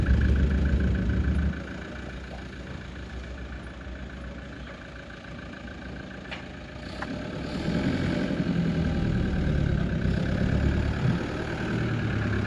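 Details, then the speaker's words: Toyota 1KD-FTV diesel freshly swapped into an LN106 Hilux, restarted after refilling: steady low clatter about three beats a second with a brief rev, warming up before coolant bleeding; a normal, healthy idle. "it's odd hearing this noise from this old car"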